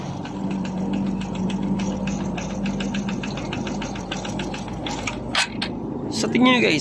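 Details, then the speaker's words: Honda RS 125 Fi single-cylinder engine, owner reported a knocking noise inside: steady clattering knock about four per second over the running note, louder when revved; diagnosed as piston slap, piston to be removed for inspection. "So ibig sabihin ang problema meron ang kanyang makina guys ay piston slap so kailangan natin bunutin ang kanyang piston para makita natin ng malapitan ang sitwasyon ng kanyang piston"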